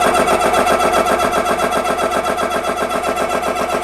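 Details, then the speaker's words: ReadyAir personal airgun compressor filling a gun toward 3625 PSI as the bleed valve is shut: steady, even chuffing pulses about four a second with no knocks or rattles; the additional cooling fans kick on; running normally. "ahead and shut the bleed valve. Start my timer. The additional fans just kicked on. You can probably hear it."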